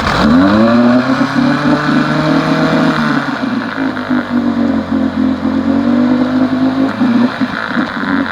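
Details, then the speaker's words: 1971 Johnson 9.5 HP outboard after magneto rebuild, carb cleaning and fuel pump upgrade; previously wouldn't stay running without choke; morning test run, brief rev then steady even buzz without stumbling or dying; normal running. "i cleaned the car because she wouldn't stay running without being choked so let's give her a little test run this morning see how she's doing"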